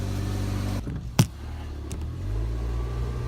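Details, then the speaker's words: 2013 Nissan Versa after a temporary repair of the exhaust snapped at the flange, using a pipe adapter sleeve and tightened clamps: a low, soft idle rumble with one brief clunk and no raspy leak, so the exhaust is sealed and much quieter. "wow it's a lot quieter than I thought I cranked the hell out of those clams"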